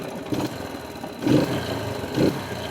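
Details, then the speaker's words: Bike after air-fuel mixture adjustment with tachometer, peak about 3700-3720 rpm then idle set to around 1100-1200: starts on single self-start, two quick clean throttle blips rise and fall smoothly without stumbling; response good. "आप देख रहे हैं इसका response कितना अच्छा हो गया है। तो ये तरीका होता है इसका प्रॉपर ट्यून अप करने का।"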